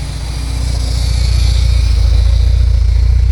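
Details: 1979 Porsche 924 warm idle, heard underneath: deep, even exhaust burble with no ticking anymore; exhaust sounds healthy.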